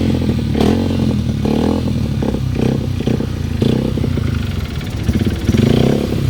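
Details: Honda XR150L single-cylinder engine at idle: dull, uneven clatter knocking through it; source of the knock undetermined.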